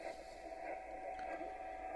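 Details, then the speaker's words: Receiver on 40 meters before fitting a CMC-130S-3K common mode filter: steady rushing hiss with slow churning "washing machine" warble and thin whistle, fluctuating S5–S7; long-standing interference, source unknown. "i'm getting this washing machine sound i've had it for donkeys never been able to get rid of it and it's fluctuating there between um say a five and a seven"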